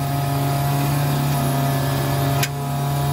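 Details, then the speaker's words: Barn-find Elva Courier Mark III race car, ignition on with kill switch, engine not running: steady low hum with faint whir as the electric fuel pump and electric cooling fan run normally. "let's turn ignition on there we go fuel pumps running electric fan is also"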